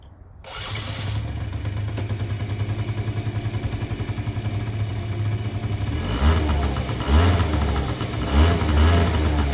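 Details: 2009 Yamaha Zuma 50 two-stroke scooter: starts after brief crank, settles into even steady putter, picks up cleanly on a few blips; sounds healthy.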